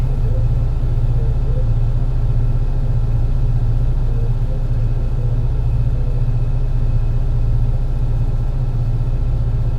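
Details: MAN NL202 CNG bus with ZF Ecomat 5-speed gearbox climbing a hilly route under load: deep, heavy engine drone with an uneven, stumbling pulse from a bad engine misfire.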